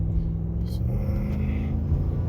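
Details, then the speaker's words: 2011 Nissan Armada V8 with aftermarket exhaust and stock intake, before a K&N cold air intake: deep, steady burble with an even beat and no misses or knocks, running normally. "want you to hear i do have my exhaust done sounds pretty good but let's see what it sounds like after i do the intake system"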